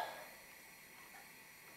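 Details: Tilley TL14 paraffin pressure table lamp, late 1930s, ran a couple of hours non-stop without problems: soft, steady, even burner hiss with no sputter or surging; running normally.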